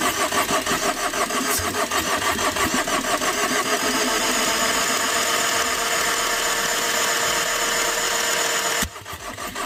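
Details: Tata Vista that overheated after an underside impact knocked off the radiator hose: starter churns the engine in a steady chug of about three beats a second but it never catches; cranks, won't start, cause unconfirmed.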